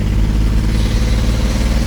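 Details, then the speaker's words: 1994 BMW 325i, off the road over five years, running on 4 of 6 cylinders from two bad ignition coils (new coils ordered); loud, lumpy exhaust stumbling unevenly and missing beats as it revs at full throttle, painfully slow. "It's been super loud, super obnoxious. It's really slow, obviously because it's running on 4 of the 6 cylinders."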